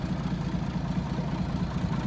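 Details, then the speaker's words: 1937 Plymouth Coupe, idling with the hood open; distributor and vacuum advance worked on, original generator and starter, master cylinder replaced. Soft, even low purr at idle with no knocks or misses; normal, healthy idle. "original starter uh it just runs right away really nice"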